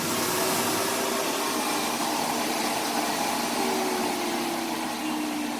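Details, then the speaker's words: Cirrus CR99 upright vacuum, switched to low suction setting: steady even motor hum with soft airy hiss, no rattles or surging, dropping to a nice quiet level; normal running at low suction. "And you can hear it goes down to a really nice, quiet sound level."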